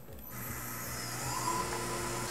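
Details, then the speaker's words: Tormach PCNC 1100 milling aluminum with a Maritool 1/2" 3-flute carbide roughing end mill, 0.3 in depth of cut (about 1.25 hp per GWizard), choked-up tool; steady spindle tone with gritty chatter, more audible strain but tool intact. "okay you could definitely hear more strain there but again tool is still intact"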